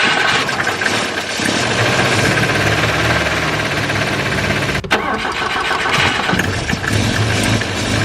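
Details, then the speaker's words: Volvo 144S with rebuilt HS6 SU carbs, after valve lash and timing adjustment and distributor gear moved about two teeth: runs better but rough and loud, with metal-on-metal knocking from the bottom end; cause not yet investigated. "It's pretty loud. Definitely sounds like some metal on metal contact going on, and it's definitely coming from the bottom end."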